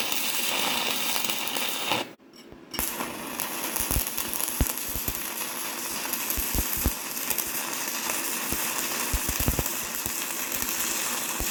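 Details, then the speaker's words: YESWELDER 205DS on 110V, first gasless flux-core beads on DCEN with settings not dialed in: harsh crackling sizzle with frequent sharp pops and snaps, producing excess spatter; switching to DCEP planned. "I've always been taught to use DCEN for flux core, but I didn't like how much spatter it was producing, so I'm going to switch it to DCEP here"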